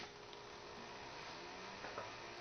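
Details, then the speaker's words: Macintosh Plus external 20 MB hard drive, found in storage, switched on first: loud steady whirring hiss with faint whine as it spins up evenly; normal start. "well I can hear it cycling up so far so good I guess wow that is a loud hard drive 20 megabytes"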